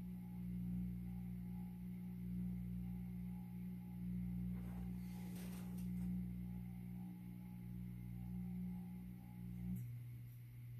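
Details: 52-inch Supreme Fan Mark III (Emperor) ceiling fan from an abandoned house; steady low electrical hum with a faint pulsing drone as the fan slows on low speed, louder than usual; owner says the speed switch is bad.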